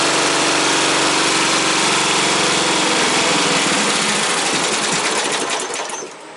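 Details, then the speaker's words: Freshly installed engine on a modified ride-on mower, battery just wired, throttle and choke cables not yet hooked up: turns over, catches right away, settles into steady even beat; normal start and running. "that's awesome. Well, it's a runner. That's good. Well, we knew it was a runner, but it's a runner on this."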